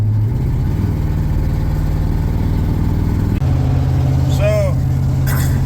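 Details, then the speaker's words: 1994 Ford F-150 with new spark plugs, shaking in low gears: uneven, chuffing low idle beat like a train with a missing pulse; cylinder dropping out, owner suspects a bad fuel injector. "if I have to take that top intake off again I'm going to replace every single one of those this thing sounds like a choo choo"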